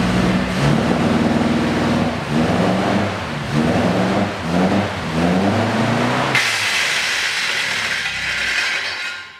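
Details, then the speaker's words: 1966 Triumph Spitfire MK2 after a chain tensioner job: the engine runs with an uneven pulse, then a sudden harsh metallic clatter. A loose nut struck the fan, which hit and damaged a rod; the radiator needs replacing. The timing chain is not rattling. "so the fan came was hit the rod damaged the rod and now we need a new radiator anyways at least I can confirm that the chain was not rattling at all"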